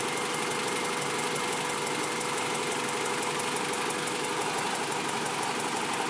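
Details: Honda B16 engine at idle after sitting a month, started only every other week: fast light ticking about three times a second over a steady idle. Owner unsure whether it is valve tick or a misfire; it sounds more like valve tick.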